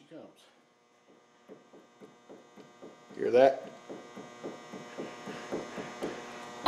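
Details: Worn inner tie rod on a 1995 Nissan Maxima, front wheel rocked by hand: a steady run of light clunks, about three or four a second. Causes sloppy steering and tire wear; inner and outer tie rods being replaced.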